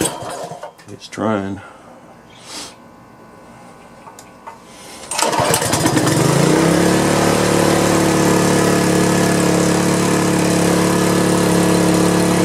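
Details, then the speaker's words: Power washer engine after carburetor cleaning, started once its on/off switch was turned on; a few handling knocks, then it catches at about five seconds and settles into a steady, even run; normal start and running. "well that did it that is one hefty motor man that Joker is suckers got some powered on it"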